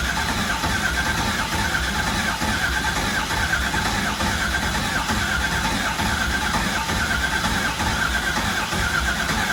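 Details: Newly installed LS1 V8, replacing one that threw a rod through the pan, at first start after rebuild and priming: runs steady and even with a smooth, consistent exhaust note and no knocks or misses; a healthy engine.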